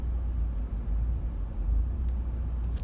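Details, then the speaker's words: 2013 VW Beetle 2.0 Turbo (Gen1) with ongoing stalling, AC on: low uneven idle rumble that surges and dips, stumbling and shaking near stalling, car bucking; rough idle, cause not confirmed. "it's stumbling i think you can see the shaking on the"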